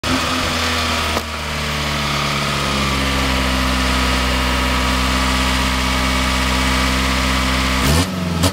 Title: first start up b16 ek , rattle noise